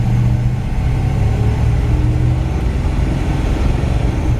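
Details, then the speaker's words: 1958 Chevrolet Biscayne two-door, older restoration, 305 V8 with Powerglide automatic, while driving: deep even rumble under light throttle, no knocks or misses through road noise; V8 runs good, normal running. "it's got a 305 in it runs good automatic transmission"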